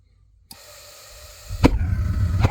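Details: 50-gallon water heater that flashes low thermopile voltage before lighting; a click, then a thump as the burner lights into a deep heavy rumble that keeps building with a big flame; abnormal burner roar.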